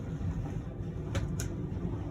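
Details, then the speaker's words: 2018 Jayco Jay Flight 29RKS travel trailer slide-out motor extending on button press: low steady hum without straining or grinding; motor whine and clicking signal full extension, normal operation. "You're gonna know that slide out's fully extended when you hear the whines of the motor and the clicking. That's when you can stop."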